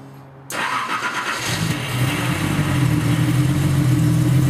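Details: Nissan 280ZX first start after replacing cracked fuel hoses and clamping in the fuel filter; starter whirs, then the engine fires cleanly into an even, steady idle with no misses or knocks. Normal idle.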